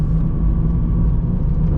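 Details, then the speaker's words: 2005 Jeep Liberty CRD (KJ), heard in the cab at highway speed: a loud, steady, low droning roar and grinding from the front; worn front wheel bearings and hubs. "this jeep liberty has needed new wheel bearings and hubs for quite some time now so i'm just going to take us down the road you guys be the judge let me know if you think we need them replaced it is very loud in my opinion"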